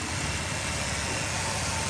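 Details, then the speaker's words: Ford Taurus 3.0L V6 at about 193,000 miles, idling: uneven, stumbling beat with a faint hiss, sounds like missing a little; vacuum leak suspected as the cause. "this is it sounds like it's missing a little bit could be a vacuum leak"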